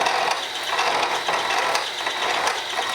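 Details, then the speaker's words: Slitting saw in an older spindle holder, fed slowly by hand through a bore on a portable in-place machining jig: slow irregular chattering rasp once or twice a second; the machinist suspects the spindle doesn't run as true as his 40-taper holders. "I don't know if it's just an old spindle or what or how it holds it but it doesn't seem to run as true as it does over in the uh 40 taper holders that I have at the"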